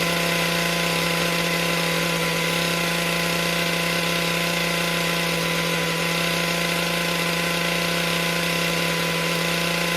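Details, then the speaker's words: MS462 chainsaw after service with a cleaned air filter, started before calibration reset: steady, even buzz with no stumbling or hunting; runs smoothly and healthy. "I feel like, and the saw sounded healthy. Let's just fire it up and see how she does, and then reset it."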